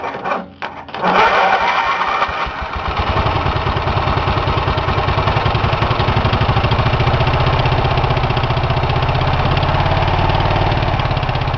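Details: Engine deliberately run with its cylinder head removed after checking internals for damage: it catches after a stumble and settles into loud, open, chuffing beats near four per second.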